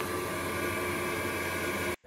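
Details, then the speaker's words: Ferroli Optimax 25C combi boiler, old unit, repaired after no hot water or heating: hot tap on, fan kicks in, steady even rush of fan and burner with faint hum, no rattles; firing cleanly, hot water restored. "so we go over hot tap on sounds good the fans kicked in yeah looking good we have hot water"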